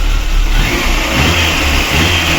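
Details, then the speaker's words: VAZ 2108 after a two-day cylinder head rebuild for an engine knock: new valves, exhaust seats replaced, intake seats recut. Engine revs cleanly and settles into a smooth, even roar with no knock or tapping: normal running. "чотко все працює"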